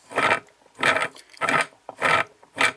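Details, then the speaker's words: Whirlpool washer gear case tested by hand: outer shaft spins smoothly but twisting the inner shaft gives rough gritty grinding bursts, indicating a bad gear case. "listen to this hear that grinding that's bad"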